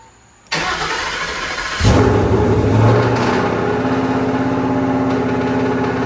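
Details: Project car with a V8 and automatic, at first start after fluids and exhaust were added and the fuel pump was checked; the starter cranks briefly, then it settles into a steady, even rumbling idle with no knocks or misses.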